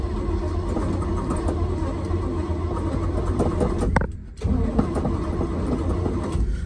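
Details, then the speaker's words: 1969 Chevy K10 350 V8 with 4-speed, sitting for decades, with a new coil and points fitted: the starter grinds it over steadily, pauses, then cranks again without firing; the points dwell is out of adjustment and needed a quick adjust. "got to adjust the dwell all right didn't want to start it first but I just gave the dwell a quick little adjust had the wife help me turn it over and got it to where it's close"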